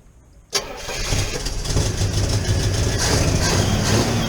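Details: 1975 Pontiac Firebird 350 automatic, revived with fuel fed from a jug and hot-wired ignition: a quick crank catches into a rough, hunting, stumbling idle as fuel overflows past a stuck carburetor float.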